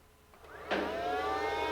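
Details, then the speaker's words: 2011 Mercedes GL450 air suspension compressor below the headlight, switched on via scan tool: after a quiet moment it spins up into a steady rising hum then settles; pump runs, so its wiring is good, though pressure output is unconfirmed. "so our air pump runs now since we can hear the pump running this tells us that the wiing to the pump is good"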